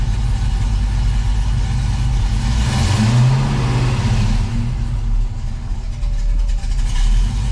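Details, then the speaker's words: 1969 Camaro V8 after AC replacement, oil change and new battery: deep rumble swells smoothly on a quick throttle blip and settles cleanly, no knocks or misses; low idle oil pressure (about 25–35) rises with revs. Healthy revving. "let's see if she gets more when you give her a little bit of goose"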